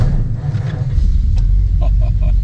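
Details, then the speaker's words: 1950 Mercury coupe, 6-volt system, started after 3 seconds: deep soft even idle rumble, no ticks or knocks; old petrol engine running smoothly and healthy. "Et alors, le son est fantastique. Oh, ça. Un vrombrissement, un doux vrombrissement formidable."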